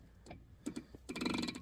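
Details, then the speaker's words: Nitro 35-spline locking hub on a Dana 60, unlocked (free): faint light clicks a few times as the hub turns by hand, from slight play letting it rub the axle; no binding, and the owner thinks it may wear in. "so it still makes that noise so I probably could leave it and then it'll slightly uh wear in there like it's it's not there's no binding at all like it's just barely clicking on it"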